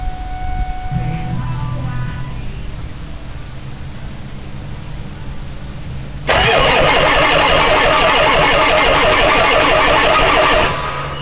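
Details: 2000 Ford 7.3 Powerstroke cold start at about 7–10°F in Wisconsin: about six seconds quiet, then catches at once into a steady loud diesel clatter, white smoke but no lope; normal cold start.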